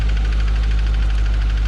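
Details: C7 Corvette Z51 V8 with supercharger at 80,000 miles, quick steady tick over rough idle from cylinder 7, worse cold at first startup, no check engine light; failed AFM/DOD lifter, owner replacing cams, pushrods, lifters and deleting AFM.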